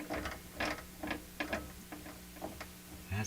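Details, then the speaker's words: Hammarlund SP-600 JX communications receiver, tuning knob (loose on its shaft) turned by hand: irregular crunchy grating bursts from the geared tuning drive. Suspected dry gears, unconfirmed. "kind of a bad sound to it, doesn't it? Again, it just sounds like dry gears."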